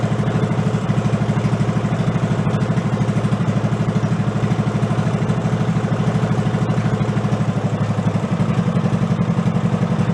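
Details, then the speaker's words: Amusement-park go-kart with 16hp engine replacing a 5hp, stock air cleaner: slow, lumpy thumping with a clack each beat at very low idle; compression release engaging, raise the idle rpm. "Going down so low, the decompression valve is kicking in. I can actually hear it clacking."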